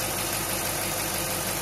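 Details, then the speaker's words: Willys truck after rebuild, first start after 12 months on a cold day: steady even idle under background hiss, settling and getting quieter, running on all cylinders with no stuck injectors. "getting quieter sounds like it's running on all cylinders [Music] oh so no stuck injectors or anything like that which is good"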